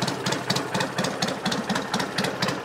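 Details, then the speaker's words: 1963 BSA Rocket Gold Star in touring trim, warm at tickover: a steady, even thump about four per second, not floating or hunting, quiet tappets, a clean, regular idle. "we're looking to see if it's floating which it isn't it's got a nice regular tick over"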